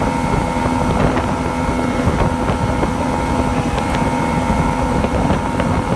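Outboard runs with irregular sharp pops breaking through the steady drone, with wind noise on top; it is misfiring, cause unknown.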